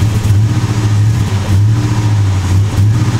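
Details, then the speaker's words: 2002 Chevy Avalanche V8, cold, just revived: rough idle with some knock, stumbles and wants to die instead of revving when throttle applied; oil pressure present, cause yet to be diagnosed. "Idling real rough. Doesn't want to juice up when I hit the gas."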